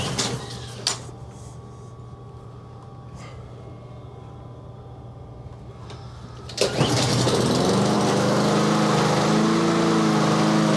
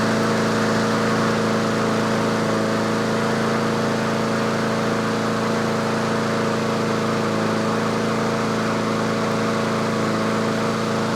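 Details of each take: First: Yard Machines push mower after a tune-up, sharpened blade and deck cleaning, cold start with the choke just turned off. A few clunks, then the pull start catches and the speed hunts up and down; surging idle until it warms. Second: Yard Machines/Yard-Man 21-inch self-propelled push mower, just started and warming after choke off, at tune-up: steady even drone at about 3300 rpm, the usual set speed, no misses or knocks; healthy governed running.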